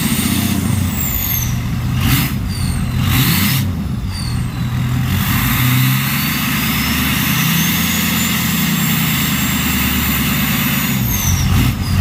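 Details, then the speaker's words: Ford 6.0 Powerstroke diesel on the stock turbo, before a bigger-turbo swap: a short crank catches into a steady, even idle clatter with a light turbo whistle and no misses, a normal start-up. "Alright, so that's what it sounds like with the stock turbo."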